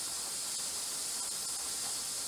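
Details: Presto 23-quart pressure canner, regulator on, safety valve and air vent up, tested toward about 12 psi after suspected seal/ring trouble: steady, even high hiss, no sputter or surging; regulator venting properly and holding pressure.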